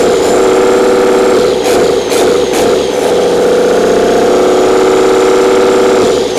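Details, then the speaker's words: Old 12-valve Cummins diesel, stored almost a decade, first start: steady, even idle clatter, no misses, knocks or hunting, not much blow-by; runs pretty nice. Normal idle. "I don't know runs pretty nice doesn't have real bad Bob by either a"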